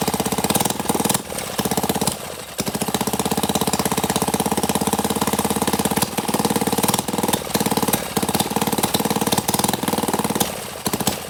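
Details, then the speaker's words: CT100U mini bike engine, just after an oil change, running after backfiring while starting: rapid, even single-cylinder firing at fast idle with a few brief stumbles; no oil from the exhaust, runs fine and sounds good. "Nope, we're all clear. It runs. I think it sounds good too."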